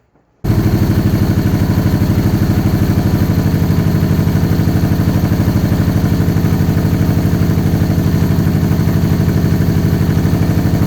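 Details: Supercharged 2013 Victory Cross Country, first start after sitting over a year: it catches and settles into a lumpy low thump, about three beats a second, running on one cylinder. A damaged front plug wire was not making contact and fouled the front plug.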